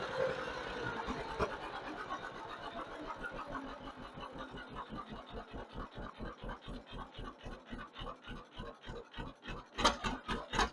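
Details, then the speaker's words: 1958 John Deere 530 two-cylinder with a freshly rebuilt carburetor, run through the throttle range. A clean, regular putt slows steadily as the throttle closes, then picks up crisply with no stumble: normal throttle response. "Bring the throttle on back. I think we're going to be happy with that right there."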